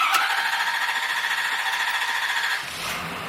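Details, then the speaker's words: 2016 Ford F-350 6.7 Powerstroke diesel starting after an oil change, old oil at about 7,900 miles; short crank, then it catches and settles into an even, steady idle; normal start. "there you go brand-new truck"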